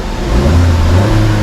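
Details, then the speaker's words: Chevrolet Sonic after a P0300 misfire fix (spark plug cleaned following an engine wash), zero misfires recorded. The engine picks up smoothly from idle to a steady higher speed and won't pass 3,000 rpm, which the mechanic calls a normal cutoff. Clean rev. "la aceleración eso sí que no me pasa 3.000 rpm Pero esto es natural o sea realmente es natural en estos vehículos que tienen ese sistema como de corte"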